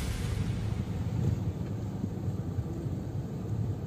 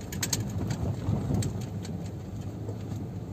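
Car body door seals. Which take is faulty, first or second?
second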